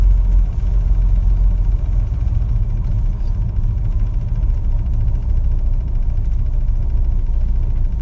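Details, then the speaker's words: 1961 Chevrolet Corvair Lakewood after installing a FAST XR 700 optical-trigger electronic ignition to cure a no-spark problem: starts fine, steady idle in park, smooth cruising with no surging or sputtering; normal running. "well i think that sounds good starts fine idle's okay in park and as i'm cruising there's no surging or sputtering it's all nice and smooth so i think we did it"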